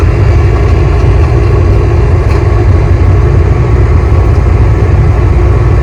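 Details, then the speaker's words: 2006 GMC Yukon Denali XL heater blower after clearing debris from it: a loud, steady low rumbling roar, about half as loud as before. Owner suspects remaining debris or a bad fan motor. "but that's how you clean out your blower motor and get your heater to quit making noise and start blowing some air again if that's what was wrong with it well this is what it sounds like"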